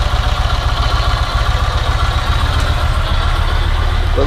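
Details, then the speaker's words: Yamaha MT-01 V-twin: steady, even low thump at idle with unbroken rhythm and no knocks or rattles; engine noise that seems alarming is normal for this bike. "just normal for an empty one of you saying the same then do whatever ready go no more mt1 noises"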